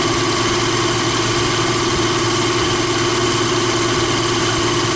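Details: Jeep Wrangler YJ (no factory AC) at idle with a belt-driven onboard air compressor fitted via an added idler pulley and new serpentine belt, filling from zero (cuts on at 95, off at 125). Steady idle with a constant compressor hum, no knocks or squeal; normal.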